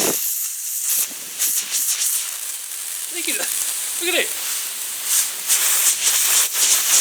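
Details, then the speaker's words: Air impact gun on reduced, low air pressure, hissing sharply in uneven bursts with light rattling. Owner first thought the casting was cracked but now suspects a tiny pinhole leaking compressed air. "I thought it was cracked, but there must be a tiny pinhole in it. You can hear it. And I've got this reduced quite low on pressure."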